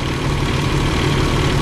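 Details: Truck with Eaton UltraShift Gen 3 transmission, during clutch reset: steady low diesel idle with an extra droning hum while building air; air compressor running, compressor bearing checked fine, noise stops when it cuts out.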